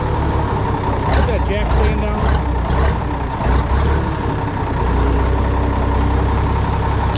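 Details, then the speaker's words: Minneapolis Moline tractor that sat unused a long time, restarted: deep, steady diesel rumble with an even beat and no knocks or misses. Normal healthy running. "you guys want to hear it running again anyways I don't blame you this one runs pretty good for a tractor that sat a long"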